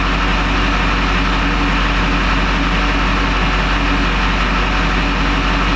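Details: 20-year-old Duramax diesel pickup with recent new injectors, after an earlier start-and-die, glow plug code now cleared, fuel pressure bouncing 5600–5800 psi (owner unsure if in spec); steady low rumble, no stumble or surging; normal idle.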